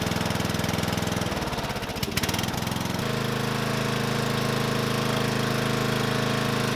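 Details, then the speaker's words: Murray 12.5 hp 40-inch-cut riding mower that had stopped running, after fitting a new carburetor and air filter: brief stumble, then an even, steady thumping run without misses; running good. "is she's running good"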